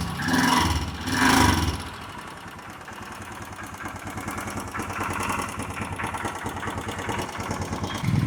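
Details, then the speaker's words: Royal Enfield Himalayan single after sitting six months and a fuel pump fix: two short bursts, then catches and settles into an even idle with no misses. Owner hints at possible rocker or timing chain noise to inspect. "വണ്ടി start ആയി നല്ല sound ഉണ്ട്"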